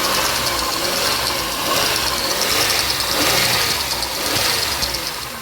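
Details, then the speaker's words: 2007 Pontiac Grand Prix idling after ICM and harness replacement, AC compressor removed: steady high-pitched squeal over idle, constant with engine speed; owner suspects the brand-new power steering pump, not confirmed. "now which one of these is squealing like that that's a brand new power steering pump"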